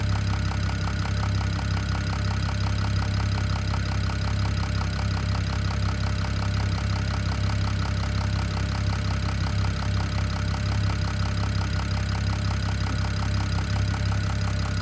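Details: BMW E92 335i N54 six-cylinder idling with a steady, sharp knock about three times a second over a deep hum; owner thinks it comes from the top end, cause not confirmed.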